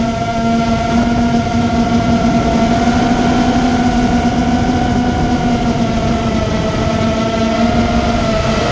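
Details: Immersion Vortex 250 Pro brushless motor test run after trying to fix bad bearing sounds: smooth, steady whine drifting slightly in pitch with no grinding, rattle or bearing growl; one motor barely warm, appears fixed.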